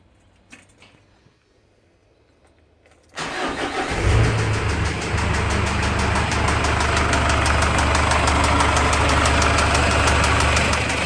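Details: Ford Ranger idling after start with a regular, sharp tapping about three times a second; engine knock, cause unknown.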